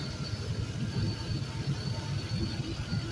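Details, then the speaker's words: Used 5.3L Gen 3 LM7 V8 from a 2004 Suburban, 140k miles, idling warm at about 180°F coolant: even, steady low rumble, no leaks, power steering pump quiet with no whine or groan; normal idle. "another look at the ground here nothing is leaking and he's pretty clean and dry our steering pumps nice and quiet"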